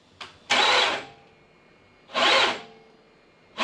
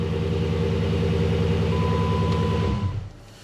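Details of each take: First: 2006 Dodge Magnum AWD 5.7 L Hemi with good battery and tested cables: three short harsh whirring starter bursts that never catch, then a longer rough grinding spin; failing starter with worn bearing, replaced. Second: 2006 Dodge Magnum AWD, 5.7 L Hemi, after replacing starter motor. Starts then smooth, even idle with steady low rumble, no knocks or grinding, barely audible: normal idle.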